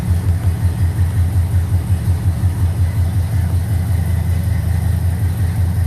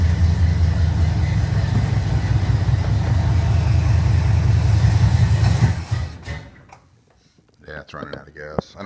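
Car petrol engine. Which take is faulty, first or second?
second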